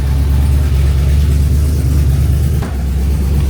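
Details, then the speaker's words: 1974 turbo Camaro V8 that ran fine the day before now won't idle properly: a deep, lumpy idle with an uneven chuffing beat and breaking up, first described as valve-train clunking like a broken rocker. Owner suspects a blown header gasket and plans a compression or leak-down check. "I heard it breaking up. Oh, she broke up bad. That was the worst breakup we've had."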